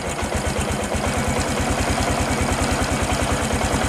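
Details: Honda Supra X 125 PGM-FI with ignition-switch fault, running on new regulator, idle raised, throttle not held: steady even low thump, no knocks or misses; running normally.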